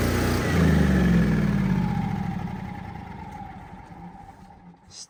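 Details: Hobart welder/generator twin-cylinder engine after no-start fix (fuel filter cleaned, fuel pump and carburetor checked): fires up and runs with a steady, even beat, then the note gradually fades down; starting and running normally.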